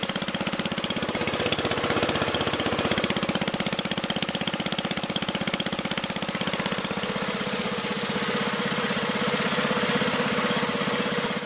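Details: Magna air compressor with a Briggs & Stratton engine from at least 1983, sat 5 years, first start on the carburetor alone without carb cleaner: single-cylinder engine holds an even, rapid firing beat, no misses or surging, reaching 100 psi; normal running.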